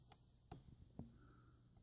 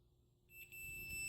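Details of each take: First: Davemade 16-pill amplifier under repair, multimeter continuity test at the input splitter: quiet probing, then a steady high beep of about a second and a half, confirming continuity. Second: Davemade 16-pill amplifier under repair, continuity check on the splitter's twisted wires: silence, then a steady unbroken high beep once the leads touch, showing the RF path splits correctly.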